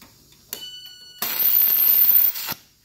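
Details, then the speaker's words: DC stick welder converted to TIG with manual-valve torch, welding stainless without filler: harsh irregular crackle and spit for about a second instead of smooth hiss; argon not turned on, tungsten contaminated. "you hear that no gas so my tungsten is Chooch and we're gonna have to stop here and sharpen this thing out"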